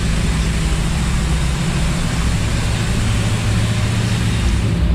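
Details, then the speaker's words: Rebuilt 1955 Chevy engine after cam break-in, stock parts, fuel pressure 6 psi, 180 thermostat, some black smoke: deep steady low rumble with no knock or tapping; normal idle. "All right, cams broke in. Now that's the way they're supposed to sound."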